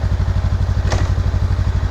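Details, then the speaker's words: 2021 Honda Rebel 500 twin, run the day after a crash to check for engine damage: a steady, even low thump with one brief click, no knocks or rattles; no weird noises, sounds mechanically healthy. "I don't hear any weird noises or anything like that so like I said I wouldn't expect there to be anything necessarily wrong mechanically with it in terms of the mot or not running or anything but you never know"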